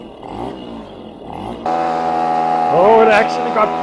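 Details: 1973 Casal K197 moped, Portuguese-built under Zündapp licence, two-stroke, run after refuelling: buzzy note picks up sharply and climbs cleanly as throttle opens, pulling uphill without misfires; engine healthy.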